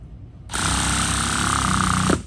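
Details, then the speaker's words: 2010 Hot Bodies Stadium Pro 2 nitro truck with LRP .32 engine, warmed, primed, first break-in start on Byron 30% nitro fuel via rotostart: harsh buzzing crank, then lower note near the end as fuel reaches the engine. "Now, when you hear that, then that little bit low, that means you got fuel in there."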